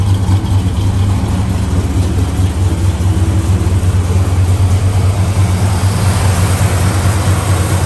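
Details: 1964 Chevelle Malibu, 350 V8 with Edelbrock 4-barrel and 4-speed manual: a low, steady idle burble, even pulses, no ticks, knocks or misses. Alternator, belts and hoses are good, and it is a healthy idle.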